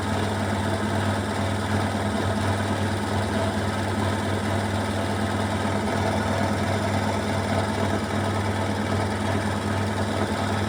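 Loud, uneven rattling and vibration over the steady hum of a fast spin; an off-balance load is shaking the drum.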